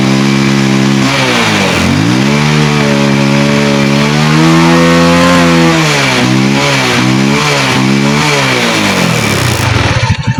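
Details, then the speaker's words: Rusi Kraken motorcycle (about 110cc) that backfired and would not start, now running after its rusted, wet high-tension wire and plug cap were dealt with: it revs cleanly, rising and falling, and starts on one click. "So ang nakita ko bumibirit naman at one click naman."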